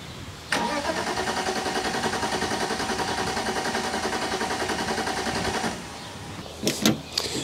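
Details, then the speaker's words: BMW E46 coupe, which shut off while being moved: the starter spins at an even three to four turns a second for five seconds and it never fires. The fuel light shows the tank is nearly empty, so a lack of fuel is suspected. "I just wanted to move the car to clean it and it just shut off while it was running and now it doesn't want to start since the gas light shows us that there's pretty much no fuel left"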